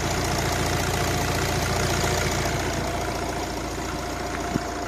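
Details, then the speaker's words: Accident-damaged 2016 Opel Vivaro B 1.6 CDTI (R9M Euro 6) diesel with brand-new injectors: steady idle with even fine clatter about three and a half beats a second, no misses or knocks; engine runs perfectly, normal idle. "Motor dela brezhibno, zelo lep zvok ima, prede kamucek."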